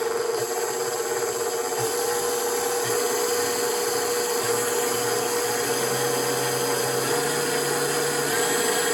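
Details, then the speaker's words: KitchenAid stand mixer after speed selector switch cleaned with contact cleaner and reassembled; steady motor hum steps up in pitch through the speeds, slight lag before top speed, thought to be by design; runs smoothly, normal running through speed range. "can hear the progression in speed all the way up. There's like a slight delay before it goes all the way to a higher speed. I think it's designed to do that."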